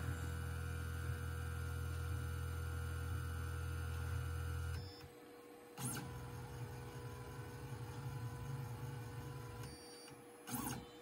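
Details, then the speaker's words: Onefinity CNC probing for Z with the router brought down over the probe, probe lights on: steady stepper hum with a faint whine, stopping cleanly after about five seconds; normal Z-probe motion. "check to make sure that my probe lights come on and they do right so now i can probe for z and it will start up right"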